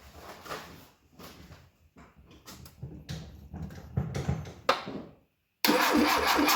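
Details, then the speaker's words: 1972 Fiat 850 Sport Spider that sat in a garage for 22 years: the starter churns in uneven bursts with no firing, then stops. Cranks but won't start; likely flooded. "Might just be a little flooded out now."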